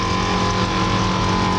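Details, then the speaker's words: 1962 Chevrolet Impala air suspension compressor in the back raising the car all the way up: a steady, loud motor drone with a fixed whining tone; the compressor is operating normally. "you can hear the compressor kicking on now that's what that's that noise you hear and now the car is all the way up in the air"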